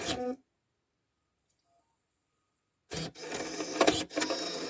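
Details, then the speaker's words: Rover 75 six-disc CD changer that jammed mid-change showing no magazine/no disc, freed using a plastic strip on the sprung cartridge: soft whirring, clicks and clunks as it seems to check each disc. Changer apparently working again. "I assume what it's doing is going through and checking each disc in there and finding what's there right that sounds like it's sorted itself out"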